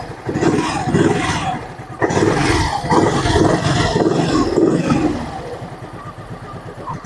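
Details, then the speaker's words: Gravis scooter CVT (panggilid) after cleaning the drive face, fly balls and belt, refitting the crankcase cover and fitting a new airbox assembly; check-engine light still on. Engine revs up and settles smoothly with no rattle or grind; the previously noisy CVT is now quiet and normal. "Ayan, tahimik na yung kanyang panggilid."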